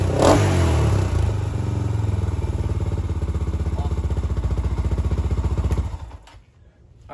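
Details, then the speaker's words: 2007 Honda 400EX single-cylinder after swapping the 155 main jet for a smaller 120 main jet: thumps along evenly and picks up cleanly without bogging, then shuts off; normal running. "just going to wrap this one up um so obviously we got the bike running good now"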